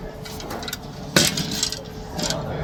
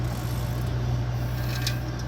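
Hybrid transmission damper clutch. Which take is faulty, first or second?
first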